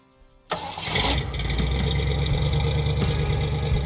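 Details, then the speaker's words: Ford Falcon, after correcting ignition timing and cleaning oil spilled on exhaust heat wrap: engine catches at once and settles into a steady, even idle with no stumble; runs like new. "Once we remedied both of those, the thing ran like a brand new car."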